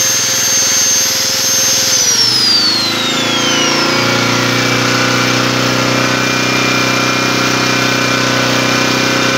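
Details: Long-unused Yasuka generator, damaged crank bolt worked around with a wooden block, started and tested for power output: the note drops at start-up, then settles to a steady, even hum with no misses or surging; normal running.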